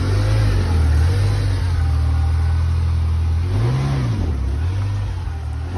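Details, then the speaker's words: 1989 Ferrari Mondial T Coupe, totally cold after sitting about a week: steady low idle, then two clean blips rising and falling smoothly, no knocks or misses; normal cold start. "Hi, I'm starting the Mondial T Coupe. It hasn't been started in about a week. It's totally cold, and I'm going to go ahead and crank it."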